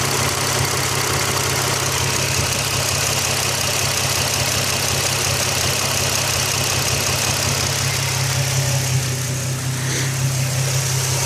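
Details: Nissan 350Z at idle: a fast, light ticking from the top of the engine that rises and falls with engine revs; cause unknown.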